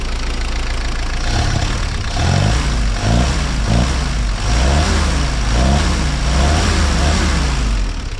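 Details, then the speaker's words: 1955 Willys CJ5 Jeep, warm, after a new exhaust install: uneven rev blips with a slight stumble off idle; the hesitation was not there before, and the owner suspects the changed back pressure. "It's really not bad, but just got a tiny bit of hesitation there."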